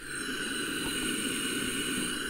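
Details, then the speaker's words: 2006 Suzuki DR200 with low compression, about 65 psi warm, during leak-down test with microphone held at the intake: steady airy hiss as air escapes past the intake valve while the exhaust also leaks; intake valve leak. "the throttle so that means both intake and the exhaust valves are leaking which is not a good situation"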